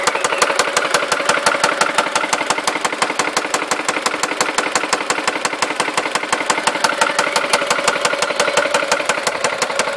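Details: Seat Ibiza 1.4 16v BBY engine at idle with sharp, evenly spaced knocking about five per second; persists after oil change, replaced broken timing belt idler and new hydraulic lifters; source unknown.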